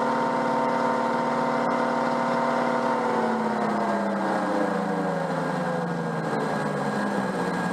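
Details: Peugeot 104 GLS on stands: whirring tone falling steadily in pitch as the right wheel slows, no knocking; the noise occurs only with the right wheel, the bearing has no play, and owner suspects slight wheel buckle, cause unknown.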